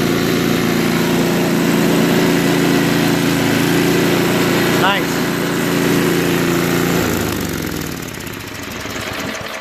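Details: Craftsman 524 trac drive snowblower, previously running only on 75% to full choke, after quick float bowl and jet nut carb clean: steady, even drone with no misses or hunting, then smoothly drops away; healthy running.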